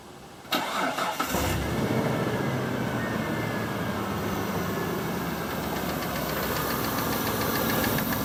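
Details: Mitsubishi Pajero petrol engine after new rocker cover and spark plug well gaskets, plugs and oil change: cranks, starts and settles to a busy idle with a light uneven knock from the driver-side rocker cover; cause undiagnosed.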